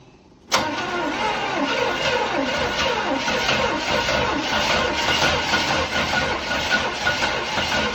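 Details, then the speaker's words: 1977 Chevrolet Caprice Classic 350 V8, about 52,000 original miles, parked over 20 years: after cranking it suddenly catches and settles into a slightly lumpy, uneven idle; first start after long storage, rust blown from exhaust. "Yep, it's rolling. First start in 20 plus years. Alright, it's rolling."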